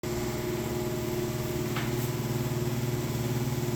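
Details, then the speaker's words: Broan exhaust fan in a restaurant: loud steady low drone with a throb about three times a second, running rough and noisy; seems to need servicing, light also out. "is one noisy thrown exhaust fan. It sounds like it needs servicing."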